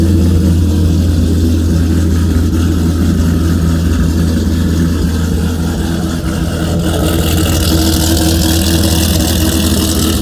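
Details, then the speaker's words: Dodge Viper V10 just after a cold start in the garage, after sitting unused for a while: deep, steady burble with an even low rumble and no ticks or knocks as the fast idle settles. Normal healthy cold-start idle, no leaks. "really good way to piss off your neighbor"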